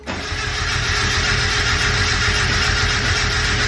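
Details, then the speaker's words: Turbocharged Mazda Miata on a Speedy EFI ECU, cold start: several seconds of steady fast cranking with no catch; cranks but won't start, fuel pump kicks on one to two seconds after key-on; owner thinks tuning may alleviate it. "but i don't know how that stuff works with how they have the speedy efi stuff set up but this is a cold start crank"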